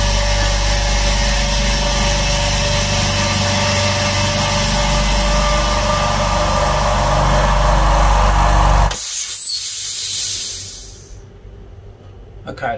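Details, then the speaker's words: New Hyundai oil-free silent air compressor on its first timed fill: an even, steady motor drone with a fast regular pump pulse, no knocking or rattle, then it shuts off at about 7 bar after 2 min 33 s. Normal operation. "that's taken two minutes 33 seconds right so it's pumped up to about seven bar"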